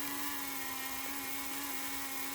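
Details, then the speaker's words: Aurora Thunderjet 500 HO slot car motor on its first test after reconditioning and oiling: a strong, even high-pitched whine at one steady pitch with no stutter. Motor spins freely and healthily. "Nice and strong. Really good spin."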